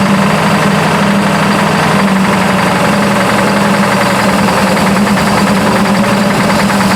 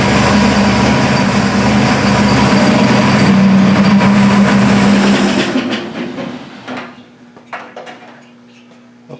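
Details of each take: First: Burnt Buick engine at idle, 42 psi oil pressure: steady idle with a fast, even light knock tracking engine speed, newly developed, owner unsure if lifter or rod; cause is the valve cover contacting a rocker arm. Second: Burnt Buick previously knocking despite 42 psi oil pressure; after valve covers refitted with gaskets and oil topped off, smooth steady idle with no ticking or knocking; knock blamed on a loose valve cover hitting a rocker.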